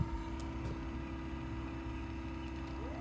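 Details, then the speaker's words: Trolling motor on a 2021 Carolina Skiff 21LS, 24 V battery (25.6 V) via newly installed Battery Tender plug, at full power setting 10: steady, even hum at one pitch, no rattles, surging or grinding; normal. "Turn it on. And we'll go all the way up to 10. Alright, so it's full power."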